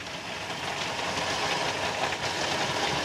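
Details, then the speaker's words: 1995 Toyota Kijang KF52, 1800 cc four-cylinder carbureted 7K engine, just started: soft, even idle with a light steady patter and no knocks or surges; smooth and healthy. "ini kita udah starter Emang namanya suara mobil Kijang itu dia alus buat kayak gini ya bisa halus banget"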